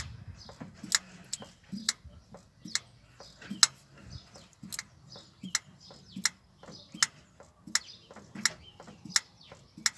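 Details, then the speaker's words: 1962 Land Rover Series 2a 109 being rebuilt, engine off, after the fuel pump was primed with its lift handle to fill the sediment bowl. Sharp regular ticking about eighty a minute but no fuel comes through. "That's an issue, isn't it? Nothing coming through."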